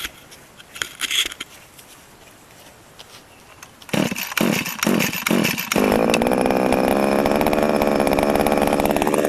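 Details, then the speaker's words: Two-stroke grass-cutting machine that was unused for nearly a month and hard to start even with a new plug; after draining the old petrol-2T mix from the carburetor it starts in 5-6 recoil pulls and runs with a steady, even buzz; normal start and idle. "5-6 kali tarik dah boleh start."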